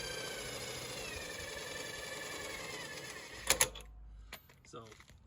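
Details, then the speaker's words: Forest River Wildwood T23 travel trailer: a bent front stabilizer jack makes a harsh whirring grind and wavering whine while being lowered, not from added resistance. All four jacks are to be replaced. "These two front ones are bent and they make a lot of noise, especially when raising and lowering, and it's not because I'm putting resistance to it, it's just bent."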